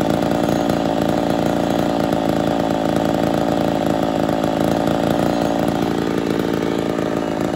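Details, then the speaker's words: Ported Poulan 245A two-stroke chainsaw on first start, untuned and not yet at full temperature. A steady high-revving scream with slight hunting shows it running a little lean and starving; it may shut off at idle. "still need to do some tuning but uh she's a little lean you hear it starving just a touch"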